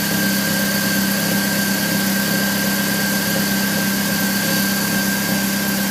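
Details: 1999 BMW E46 316i, M43 engine, cold start in the morning: steady idle with a constant metallic ring on top of the engine note, lasting about 2-3 minutes then disappearing; source unknown.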